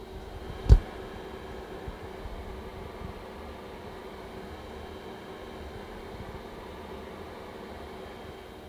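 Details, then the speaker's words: InWin B1 mini-ITX case (Ryzen 3200G, ASRock AB350 ITX) with fans at 100%, the included 80mm fan plus flex power supply fan: loud steady airy rush with low hum underneath, no ticking; fans at full speed. "So this is the sound of the fans at 100% in the Inwin B1 system, just the included 80mm fan and the power supply fan."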